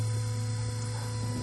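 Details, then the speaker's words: G-body car with electric water pump, cooling system filled with plain water: loud steady low hum with no pitch change and no coolant flow visible; pump motor burned out, moving no coolant. "so it basically like running with no water pump look at it it's [Music] crazy ain't doing a thing ain't doing a thing y'all"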